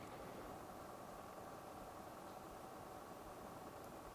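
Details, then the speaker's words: Coolmoon Crystal Diamond 120 mm ARGB budget PC fans on their remote hub controller, at a higher speed step after odd noises at the lowest settings. Only a faint, even airy hush with no ticking, buzzing or rattle; fans running normally and quietly. "that is absolutely fine and silent so that works as it should"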